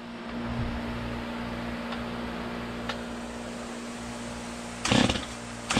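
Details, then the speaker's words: Stihl MS250 chainsaw warming up outdoors after new crank bearings and seals, with no carburetor changes since it kept stalling in the shop. Steady, even two-stroke idle holding one pitch, with no grinding or rattle; healthy normal idle. "Just kind of letting the saw warm up here a little bit."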